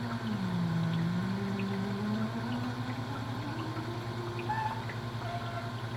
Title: [Help Needed] Why is my Opal Ice Maker making this noise?